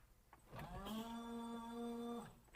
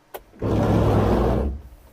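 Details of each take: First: 1992 Subaru Brumby, washer reservoir reinstalled in the engine bay after its leak was fixed: a clean, steady electric whine spins up, holds an even pitch under two seconds, then stops; normal washer pump operation, fluid sprays, no leaks. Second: 1992 Subaru Brumby on an electrical check: switching on the wipers gives a short, coarse one-second whirring burst as they sweep, rough and loud for a wiper motor; harsh wiper motor noise.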